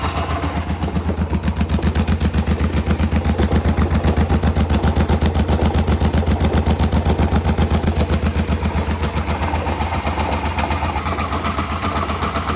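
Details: 2007 Hyosung GT650R, heard from the cockpit: rhythmic galloping/grinding pulse, almost four beats a second, at 1,000–3,000 rpm, gone above; occurs clutch in or out, in neutral, after fresh oil change; cause not yet found.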